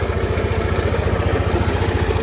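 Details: Yamaha N-MAX scooter idling with a heavy, rapid low throb and a rough mechanical rumble from inside the engine; piston noise is suspected, and the finding is a worn crankshaft bearing.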